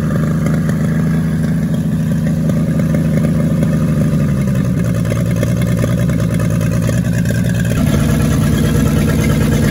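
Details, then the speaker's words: 1942 Chevrolet G506 truck six, first run after revival on a 12-volt battery with the distributor adjusted. The idle is stuck high on the choke and the mixture screw makes no difference. Smooth, even note rising and falling with the throttle, no knock. Sounds healthy. "not bad at all at least she's uh sitting here idling doesn't want to without the choke and i can't bring the idle down at all"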